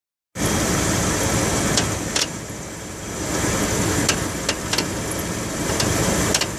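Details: Dodge Ram 1500 at idle: steady rumble with faint irregular tick or clatter from front of engine, apparently behind harmonic balancer; timing chain suspected, not confirmed; engine noise from front of engine.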